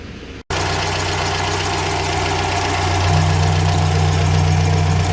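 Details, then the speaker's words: GAZelle Business van, UMZ-4216 petrol engine, 140,000 km, after repair: steady, even idle with no valve tapping after replacing the rocker arm shaft, restoring oil supply, and adjusting four valves. "так ну все принципе проблема решена заменили коромысло ось вот четыре клапана отрегулировали еще нормально все"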